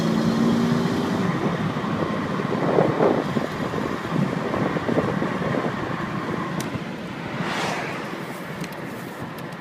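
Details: Loose, uneven rattle about four hits a second while driving, audible only under load and not reproducible at idle; exhaust smell in the cabin recently but no exhaust leak found; source unknown.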